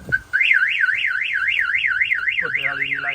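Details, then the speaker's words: 1970 Pontiac LeMans with a newly installed alarm system (starter kill, flashing lights, door trigger): a loud siren warbles up and down about four times a second, then switches to a steady tone; the alarm works properly. "let go ahead and fire off the alarm so you can hear"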